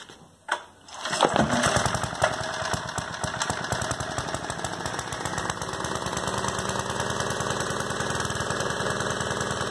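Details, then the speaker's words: Vintage Homelite generator small single-cylinder engine catches after a couple of pulls and settles into rapid steady popping; running normally after no-spark fix: ignition coil gap checked, points and condenser cleaned, tank cleaned; compression good. "so i threw it all back together i just wanted to show you guys this thing still runs"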